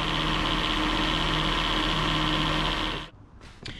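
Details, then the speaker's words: 2011 Jeep Grand Cherokee WK2 3.6, engine running with AC compressor engaged: steady whirring drone and high whine at the belt; worn AC clutch pulley bearing letting pulley wobble. "more like a pulley where the clutch assembly goes on top of it it just starts to wobble and creates all sorts of noise"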